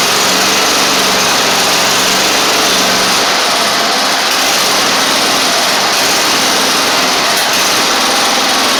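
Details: Toro Z2550 zero turn small twin needing fuel system work, started on carb spray: loud, steady buzzing drone that holds speed without surging or dying, running on its own; owner suspects a flywheel magnet issue.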